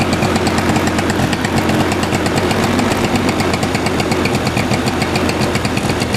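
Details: Knock inside engine of Suzuki Address 110 scooter: fast rattly knock over running engine, unchanged with variator rollers removed; appears as engine warms, owner suspects piston or wrist pin. Crank 11373 km, Nice Riche crank, S.M.R. piston kit 6392 km, NSK bearings.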